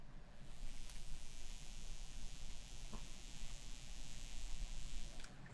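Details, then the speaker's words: M-Audio BX8 studio monitor with no signal playing: a steady fizzy hiss and buzz from the tweeter over a low hum, quite loud as the level knob is turned up to maximum. Turning the toroid makes no difference. Tweeter buzz. "you'll start to hear that buzz. And if I turn it all the way up to maximum, and I'll try to you'll hear that buzz, and it's quite loud to the ear."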